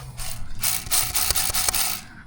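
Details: Ford Transit van (ex-Amazon Prime), 27k miles, gearbox removed: hand-turning the dual mass flywheel gives a dry ratcheting grind with sharp clacks; worn DMF despite low mileage, suspected hard driving.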